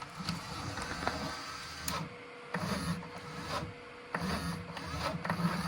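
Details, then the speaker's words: EIBOS DYAS filament dryer with a nearly new ASA spool: motor hum with intermittent dry scraping bursts as the spool turns, the full spool rubbing on the acrylic baffle mounting pieces and binding. "kind of hear it scraping on there. Yeah. See how it's kind of binding up?"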